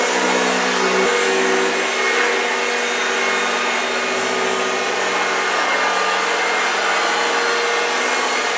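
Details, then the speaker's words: 1965 Hoover Junior 1334A upright vacuum on a flat-floor demo: a constant high hum with a rough, dry growl underneath. Suction never falters and it picks up well, but the motor sounds a bit dry. "did you hear the growling wow yes fantastic machine she really performed very well"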